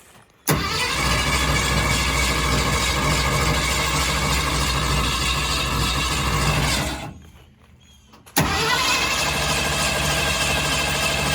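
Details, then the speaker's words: 1965 Ford Fairlane V8 on its first start, fuel pump fed straight from a gas tank: bursts into life, runs rough about six seconds, dies, then refires; flooded engine, hard start. "oh goodness all right take number two we let it get unflooded a little bit so let's see if it fires up"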